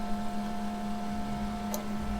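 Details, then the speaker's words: FASS lift pump, 150 replaced under warranty with a new 165 pump and T-block, key on before starting while checking for leaks: low, steady electric hum with no rattle, whine or surging; very quiet and leak-free. "so we don't have any leaks right now as you can hear it is very quiet"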